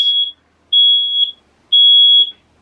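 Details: Inside a 40-foot travel RV whose engine won't start: shrill half-second beeps repeating about once a second; the smoke alarm going off after being tested.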